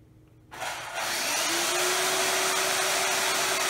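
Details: Older drill with brushed motor: spins up to a steady high whine over dense brush hiss; runs normally but has notable commutation noise.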